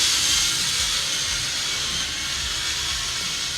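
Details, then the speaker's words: Rebuilt 1963–64 Cadillac cruise control unit on a bench rig driven by a cordless drill: even high-pitched motor whir eases down then holds a constant speed as the governor settles after a voltage change. Steady governed motor speed. "let it go back to normal start to settle down you can pretty much hear that the motor is starting to run at a constant speed"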